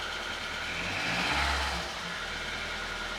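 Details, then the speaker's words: Audi A2 1.4 16V AUA petrol, first start in five months after timing belt and burst water pump replacement, in neutral: engine catches and settles into a quiet even idle, no ticking or knocking; sounds perfect. "and it's running quietly oh my God okay this is exciting it's running it's smooth sounds a lot better than it did before oh my goodness me wonderful wonderful wonderful sounds absolutely perfect"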